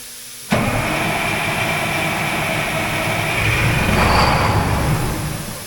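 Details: Oshkosh M1070 HET 8x8 diesel: long, steady cranking drone that never catches or rises into idle, even with ether sprayed in. A crank-no-start.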